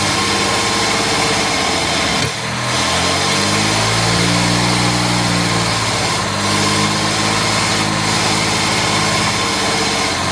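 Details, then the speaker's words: Jaguar MKII with special choke, carburetors recently removed, cleaned and refitted: lumpy, uneven idle stumbling now and then; misfire, owner suspects timing off or not firing on all cylinders. "I must admit it sounds like the timing is off or she's not firing in all cylinders"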